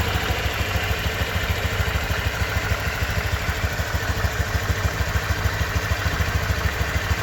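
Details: Honda Vario 125 2023 scooter at just over 1000 km, engine sound check: even quick putter of about three beats a second, no clatter or misses; owner reckons it runs smoother than at 500 km; normal idle.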